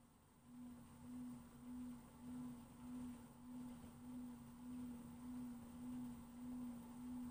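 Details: Brand new LG FWY606WWLN1 washer-dryer while drying: a steady mid-pitched, high-pitched whine swells and fades about every half second over a quiet background. The owner suspects the noisy drying fan and wonders whether it is normal or a fault.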